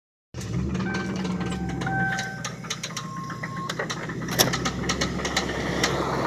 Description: this is my 95 lincoln towncar that has one hell of a rod knock on cylinder 3 this car has 326k miles on it but i am going to be putting another motor in it so hopefully it wont be sounding like that much longer.